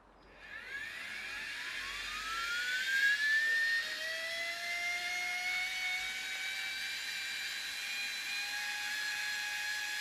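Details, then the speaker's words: Air Hogs Wind Flyer toy plane with a 2.7V supercapacitor wired directly to the motor, running with the propeller off. A thin whine climbs in pitch as the motor spins freely; a gear is suspected of slipping. "you can hear a motor spinning without the propeller while she's really annoying you must be one of the gears is spinning or slipping"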